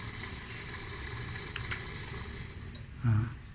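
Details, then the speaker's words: Automatic sliding gate opener gearmotor running under power: loud, rough low rumble from worn, rusted bearings (6203 and 6003). "Tuh bunyinya kencang banget di dalamnya itu bermasalah."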